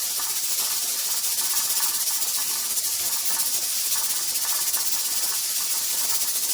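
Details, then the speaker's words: Pressure canner processing tomato sauce, with the 10-minute processing timer just started: continuous steam hiss with a gentle, even pulsing as the regulator weight jiggles steadily; canner holding pressure normally. "Alright, so I think that this is good, guys. I'm going to start my 10-minute timer now."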